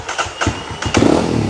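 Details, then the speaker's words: Kawasaki KLX 230 SM motorcycle with tuned ECU, engine cold, after starter gear repair, battery not changed, throttle opened to help: starter churns in quick pulses about a second, engine catches and runs steadily; normal cold start. "เสียงเสียงจากตอนแรกที่มันดเหมือนแบตจะหมดนี้เราไม่ได้เปลี่ยนแบตนะเนี่ยฮะมันเหมือนโอเคนะครับ"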